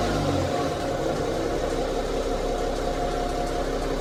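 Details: BMW 530d diesel idling steadily with a light, fast ticking running through its clatter: engine ticking at idle.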